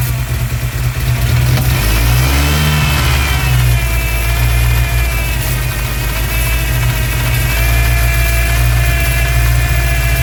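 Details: 1999 Ford Ranger 2.5 idling and revving: a thin whistle that rises and falls with rpm, from a massive vacuum leak.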